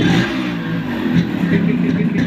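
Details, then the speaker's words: Old-model Yamaha RX 100 two-stroke motorcycle, just bought and hard to start, revving with a rough rattly buzz and uneven clatter on the exhaust; abnormal engine noise, cause unclear, cylinder, piston and reed valve to be opened. "আওয়াজ আসছে। এর জন্য আমি এখান থেকে cylinder, piston, writ valve, রেলের class side সব কিছু আমি খুলে নেবো।"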